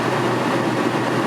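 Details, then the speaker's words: Rockwood Geo Pro 19FBS camper rooftop air conditioner after its vents were cleaned: compressor kicks on with the easy start, steady even fan rush over a smooth compressor hum, no rattles or cycling, starting to cool. Normal running. "Let's test the AC. I hear the compressor kick on. Means the easy start. All that's working as expected."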